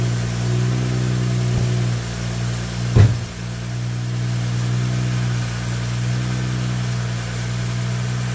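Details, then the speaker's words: 2011 BMW 335i E90 with the N55 engine, started right after the belts and pulleys were replaced in freezing cold: a steady, even idle with a smooth low hum and one brief knock, no belt squeal or chirp, sounds healthy. "success everything works the engine did not explode"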